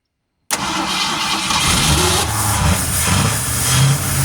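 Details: Original 1971 Ford Torino after 25-30 years stored in a garage, with a new battery, primed with fuel and pumped gas, running on 2-stroke gasoline. Catches abruptly and runs unevenly, surging as it settles. Hard starting.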